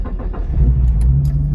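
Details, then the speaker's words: 2003 Mitsubishi Eclipse GTS, not driven in a while: quick crank then catches into steady low idle with no misses or rattles; clean cold start. "Nice, cold start. Right. So that's good news."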